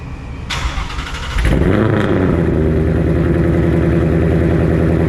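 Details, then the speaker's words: 2020 Ford Mustang 5.0 V8 just after Pypes long tube header install: starter cranks briefly, then the engine catches and settles into a deep, steady, even rumble; healthy start and idle. "So yeah, I'll go back to the top, put that stuff back on, and we'll do a fire up and see what she sounds like."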